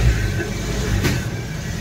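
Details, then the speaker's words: Suzuki Baleno after a bent silencer touching the body was straightened to a 1-inch gap: clean smooth rev, steady low exhaust note, no buzz or rattle underneath; normal revving. "Accelerator दो तो friends कोई जगह पर कोई आवाज़ नहीं है अभी"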